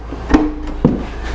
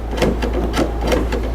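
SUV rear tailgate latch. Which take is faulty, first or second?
second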